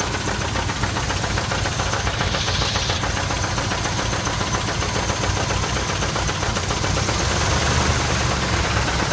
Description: 1979 Chevy K5 Blazer flexplate knocking or 350 engine knocking? Any Ideas?